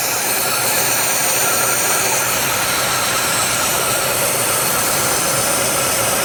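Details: 1990 Oldsmobile Cutlass Supreme at a fairly quiet idle with a loud steady hiss that does not change pitch; vacuum leak.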